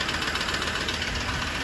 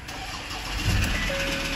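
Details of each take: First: 2016 Ford Ranger diesel at idle with a ticking knock. A steady light ticking knock rides over the diesel idle. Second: 2016 Ford Ranger with a new battery, under investigation for a ticking noise: brief strong cranking that catches and starts cleanly with no hydraulic lock and no hesitation; another car is idling in the background. Normal cranking and start.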